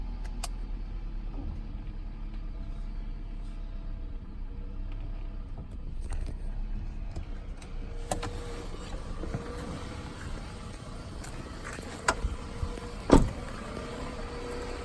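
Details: 2006 Toyota Camry at idle: low, uneven rumble with irregular stumble about once a second, misfire occurring only at low rpm; cause unknown.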